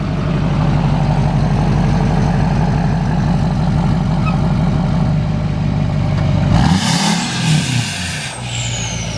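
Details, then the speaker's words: 2007 3500 dually, 6.6 Duramax LMM diesel, replaced engine, truck 219,000 miles, EGR delete, new 4-inch exhaust: steady, even low idle rumble, no knocks or misses; sounds good. "All right, and it sounds good. It's got a right new 4-inch exhaust on it."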